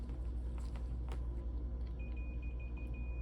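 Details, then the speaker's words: Multimeter continuity test on a new filament for a Thermo Electron Delta V mass spectrometer ion source: steady high-pitched tone after about two seconds, complete circuit, good filament. "get an open link. Or I'm sorry, you get a complete circuit. This is a good"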